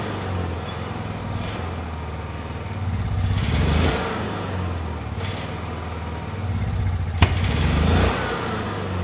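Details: Honda EU6500is generator, half tank, eco switch off, light load plugged in: single-cylinder engine makes power but hunts up and down every couple of seconds instead of holding steady; fuel or spark problem suspected, not confirmed.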